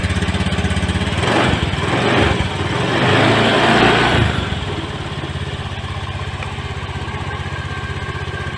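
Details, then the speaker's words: Fuel-injected motorcycle, the first start after replacing its burnt ECU and blown fuse: a couple of blips, then a steady, even idle at about three beats a second; runs clean. "sudah nyala untuk motornya Insyaallah aman juga semoga tidak terjadi kejadian itu meletup"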